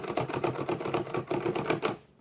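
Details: Facit mechanical calculator (TK or newer insulated NTK, both fully working) in a side-by-side comparison running a calculation: fast, even clatter at about ten clicks a second, then a clean stop. Normal calculator mechanism operation.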